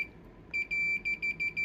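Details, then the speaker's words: Sony PS5 power supply, which stayed dead even with a load attached: meter chirps then holds a continuous continuity beep across MOSFETs near a burned resistor; MOSFETs (STF18N60M2) shorted. "well I didn't have to look far for this one cuz it looks like we' got some shorted mosfets"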